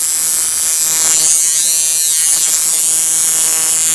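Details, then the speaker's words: Coil tattoo machine driven by an electronic pulse generator at 160 Hz, duty cycle swept up to about 49%, running well: steady, smooth high-pitched buzz, no stutter or dropouts. "so here's 160 hertz as i continue to toggle up through the dirty cycles it begins to run a little better at 47 percent it begins to run 49 is running pretty good right there at 49"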